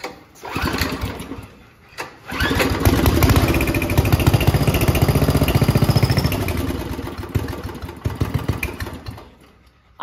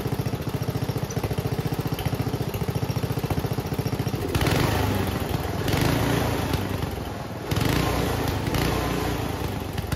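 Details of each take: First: Homemade junkyard go-kart small engine that never ran. It has gas and spark; with brake cleaner squirted into the intake and a pull start, it fires in small pops for a few seconds, then dies. Suspected cause: the carburetor starving it of fuel. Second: Homemade junkyard go-kart small single-cylinder after reassembly. It idles steadily, then revs cleanly in bursts with no pops or bangs; the backfiring seems fixed.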